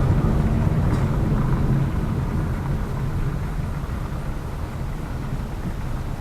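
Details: Lada Vesta Cross with AMT 2.0 robotised gearbox, full load, driving rough road, rail crossings and bridge joints, head-mounted camera; after replacing the shock struts, stabilizer and engine mount the suspension knock is gone, steady drone over joints.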